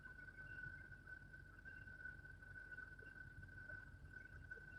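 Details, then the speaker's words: Truck driving, after new rear axle seals and recent new brakes and rotors: thin, steady high whine at one pitch over road rumble; owner suspects a bearing, mechanics couldn't find it. "They thought I was crazy. Like, what noise? Could you guys hear that noise? Give me a one. You could hear it. It's a bearing somewhere."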